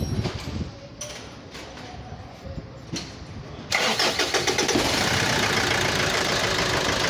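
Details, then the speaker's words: Mitsubishi L200 Triton common-rail diesel: cranks and catches, then hard regular knock three to four times a second at idle, sounding like an injector; idle rail pressure about 116–117 MPa versus normal 25–40, faulty injection module control. "ele tá com castanhado muito forte no motor dando a impressão que pode ser bico injetor a e tá trabalhando com uma pressão de combustível na marcha lenta muito alta"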